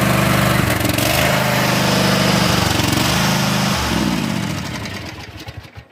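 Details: Cub Cadet zero-turn mower started on choke with the park brakes on; a loud, raspy exhaust bark at steady revs, then it winds down and stops, barely silenced. Blown muffler baffles.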